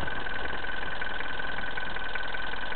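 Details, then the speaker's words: Diesel engine idling cold after a fuel filter change, starts fine but makes a sharp whine, idle won't hold and it won't rev past 1200 rpm, smoke from the turbo area: steady idle with harsh continuous clatter; injection pump suspected, not confirmed. "Ça fait une tête. Il fait un bruit comme froid."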